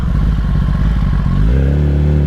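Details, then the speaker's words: 2021 Kawasaki ZX-10R on the factory ECU tuning, before the flash. The idle thumps with an uneven, lumpy beat, then revs up smoothly. A weird idle that almost sounds like it is missing. "The motor has a very weird idle too. It almost sounds like it's missing an idle."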